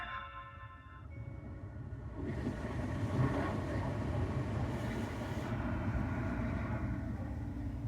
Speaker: Nice and quiet. We did it.